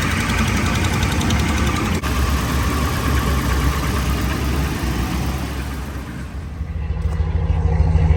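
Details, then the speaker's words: Ram 1500 5.7 HEMI at low idle after resurfacing warped exhaust manifolds, replacing broken studs and new gaskets: steady, even beat with no ticking; manifold tick fixed, idles healthy. "Okay guys, as you can hear, it sounds a lot better now. I don't hear an exhaust manifold tick anymore."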